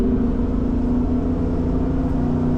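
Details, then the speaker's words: Lamborghini Diablo under acceleration, before a new exhaust is fitted: heavy steady low moan that goes quiet below low rpm; accessories ruled out, owner suspects an exhaust restriction or leak acting like a reed. "then all you hear is just this constant moan unless you get to a low rep point like lower than this going to pip and there now it's quiet whisper quiet pretty much but anytime you accelerate or have fun you just you just get that noise"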